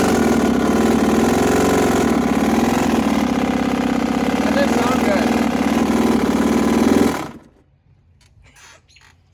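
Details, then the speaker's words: Brand-new two-stroke dirt bike ridden hard in third gear, carb cleaned and spark plug fine: rough, uneven lumpy pulsing note instead of a clean crackle before cutting out, traced to a cracked crankshaft. "starting it up still making a weird noise I'll show you guys what that noise sounds like in a little bit so I brought it home I cleaned the carb I checked a spark plug everything looks fine and it still is making that weird not to stroke type noise you'll see"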